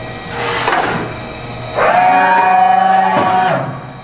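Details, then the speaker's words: 1995 Okuma & Howa Millac 511V CNC vertical machining center being jogged: the X-axis gives a slightly rough, moaning whine unlike the quiet Z and Y axes; replacing the thrust bearings on the ball screw ends should quiet it. "the uh xaxis is a little noisy as you can hear uh we would replace thrust uh bearings on the ends of this ball screw and that should uh quiet that down very nicely"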